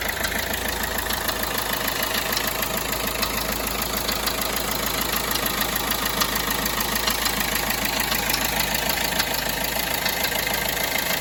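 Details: Peugeot Bipper Tepee 1.3 HDi (JTD) diesel idling with a steady fast ticking knock over the clatter, about three a second, evenly spaced; engine knocking noise at idle, cause not pinned down.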